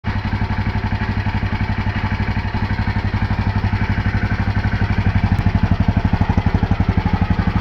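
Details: KTM LC4 single-cylinder engine: fast, even thumping with a dry clatter riding on each beat; abnormal mechanical noise, cause unclear.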